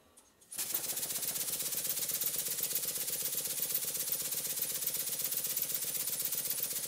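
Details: Model steam engine run on compressed air with WD-40 blown through the cylinder after a run: starts and chuffs fast and evenly, about four beats a second, no knocking; knocking returns only as the small compressor's pressure drops.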